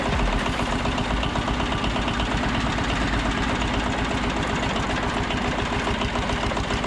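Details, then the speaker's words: Old 2-cylinder diesel, believed Cummins, off a generator, on a sawmill; sat 6–8 months. Even throbbing idle after start, no misfire or odd knock; running fine. "This is a 2-cylinder diesel engine. It came off of a own-in generator. I believe it's a Cummins."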